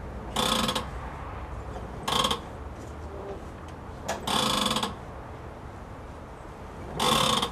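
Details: Wheels in the air with a manual steering rack: each turn of the wheel brings a short burst of notchy ratcheting and grating, then quiet; the strut top mount bearings are worn out.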